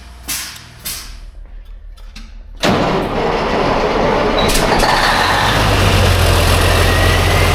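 A few clacks, then the diesel fires and settles into a steady, even clatter with no ticking or puffing; healthy idle.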